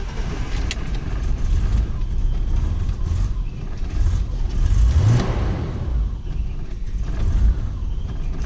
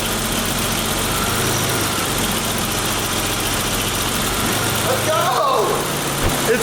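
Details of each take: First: BMW E34 barn find with idle air control valve taped up, after stalling on a little gas: low, lumpy idle hunting and sagging between throttle blips, near stalling, car won't move; rough idle, cause unclear. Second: BMW E34 after power steering pump rebuild, new reservoir and missing bolt replaced (suspected air leak): smooth idle, wheel turned, no pump whine or groan, previously loud whine. Normal power steering, no pump whine.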